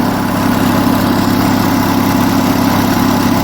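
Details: Onan US military generator engine after governor setup, warm with cooling system working, governed at about 1800 RPM; deep even drone at constant speed without hunting or surging, possibly ran slightly slow before; running steadily and healthy.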